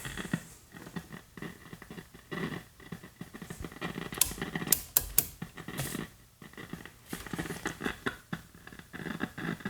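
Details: 1951 Northern Electric Baby Champ tube radio, tubes lit on a current-limited variac supply: faint irregular low-level crackle and popping, no station even at full volume, from a leaky capacitor on the output tube grid.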